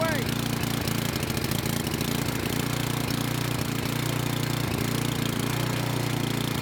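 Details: Craftsman snow blower with Tecumseh engine, cold start on midway choke: small single idles unevenly about three beats a second with stumbles and hesitations, never quite stalls; rough running when cold.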